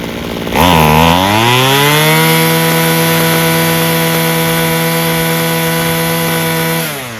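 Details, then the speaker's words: Homelite two-stroke string trimmer, fixed by adjusting the fuel mixture screws without cleaning the carburetor. Revs climb fast to a high, steady scream and hold without bogging or hesitation: normal full-throttle running. "So now that we've heard this, it actually sounds pretty good. Revving it up to its highest throttle sounds good, doesn't bog down. Consistent fuel going to it, no hesitation."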